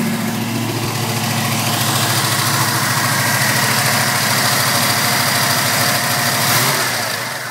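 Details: 1979 Camaro Z28 with a 305 V8: long steady cranking slowly catches and settles into a rough, uneven idle; hard start, cause not pinned down, and after 10 minutes' running it would not restart, starter just clicking.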